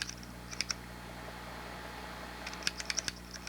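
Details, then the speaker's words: Xbox 360 controller triggers after silicone lubrication of the springs: only short crisp plastic clicks on pressing, squeak gone; triggers now quiet. "Actually, that one looks like it quieted. Yeah, alright, so it looks like all of them are good now."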